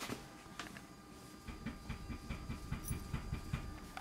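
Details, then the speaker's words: Mazda 5, clunk while turning the steering wheel with no bumps, lower control arms already replaced: a quick run of dull clunks with light clicks, accompanied by vibration through the wheel; owner suspects worn inner tie rods. "also when I turn the steering wheel you can hear a clunk I shall attempt to demonstrate the clunk this is just when you got the steering tear and remember I'm not going over any bumps at this point"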